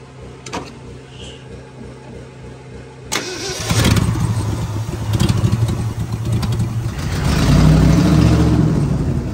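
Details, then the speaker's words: 1967 Ford F100 V8 that sat 28 years, hot-wired to key-on with the choke partly on and fuel squirted in. A few seconds of cranking, then it catches and settles into a lumpy idle with a couple of revs. "All right, so we've got the hot jump to the key on, since we didn't have a key. Then you come around here, I put the choke on a little bit."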